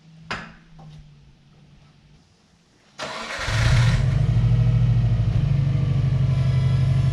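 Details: Project car with a quiet aftermarket exhaust of unknown brand: a short crank catches at three seconds and settles into a smooth, deep, quiet idle with an even beat. The engine and exhaust sound healthy.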